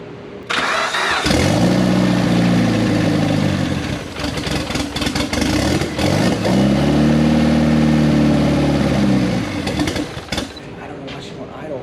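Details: Turbocharged project car first started after almost 10 years, with no mass airflow sensor and some lines not yet hooked up: catches, revs unevenly, then idle sags and dies after about ten seconds. Owner suspects the missing MAF sensor; unconfirmed.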